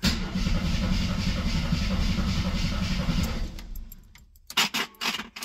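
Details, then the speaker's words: Long-sitting 1972–74 AMC Gremlin: starter spins engine evenly about three seconds, never catches; crank no start, no ignition. "oh our radio does work I don't think we have any ignition this is one of those reasons I always verify that kind of stuff because if I don't it never works anyway"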